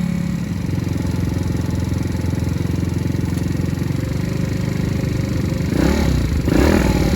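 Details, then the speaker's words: Recovered stolen moped, kick-started cold at about 42°F with smoke from the exhaust: a single-cylinder putter with an uneven beat that lumps and surges as if about to stall; rough running. "oh it sounds bad though there is something wrong [Music] yeah there's something wrong it's gonna die"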